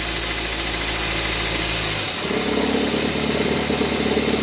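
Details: Car at idle, smooth hum turning to rougher buzzing rumble when shifted into drive or reverse as the accessory belt tensioner shakes visibly; fixed by replacing the tensioner; worn accessory belt tensioner noise when in gear.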